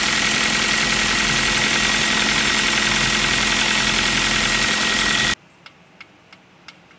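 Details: New Kia Rio 4 with 1.6 engine at steady idle: sharp, even tapping about three or four per second over the engine note; piston slap, the same sound the Kia Rio 3 had.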